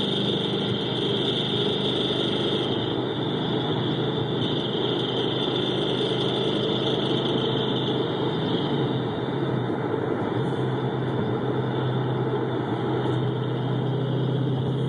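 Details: 2011 GT 5.0 V8 at idle, recorded through amplified microphones on each cylinder bank with switching between channels: a busy, rapid ticking knock under the engine drone. Owner suspects piston slap; the cause is unconfirmed. Engine knock.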